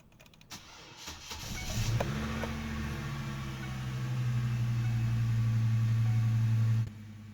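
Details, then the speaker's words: 2005 Chevy Colorado cranking the morning after it needed a jump start: the starter drags the engine over sluggishly at about four turns a second, much weaker than it should be; slow crank blamed on a weak battery, then tested. "can hear that the turnover is a lot weaker than it should be so the first thing I do is test the battery to verify that the battery is bad"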